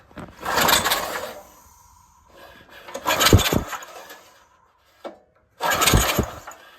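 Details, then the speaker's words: Compression test on the log splitter's original small engine (bought $200), choke and throttle open: three slow, uneven cranking bursts with a breathy puff each stroke, air blasting back out the carb hole; almost no compression, intake valve likely leaking. "But, uh, yeah, it's looking like this thing has a intake valve issue. That would explain the no compression."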